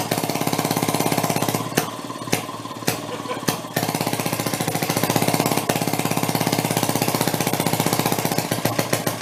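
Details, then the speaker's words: 1937 Maytag two-stroke washing-machine engine: switched from closed to open, sharp pops about a hundred a minute with brief dropouts as it breaks up and misses, kicking out a lot of fire; owner hopes rings aren't burning up. "I tried switching it over to open and it started breaking up but it's kicking out a lot of Fire I'm hoping that the Rings aren't burning up"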